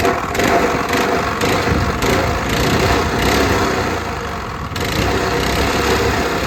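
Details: Curbside Honda GX160-type 196cc single-cylinder engine, first start after adding oil and gas: loud, rough continuous clatter with uneven thump underneath; engine running.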